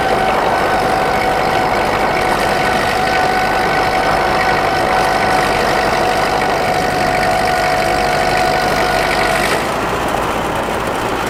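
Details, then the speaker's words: Ford tractor pulling in high gear on the driveway: steady, constant engine tone under load, no knocks or misses; burns clean, healthy. "definitely happy with the uh the performance i said you can see uh she burns clean"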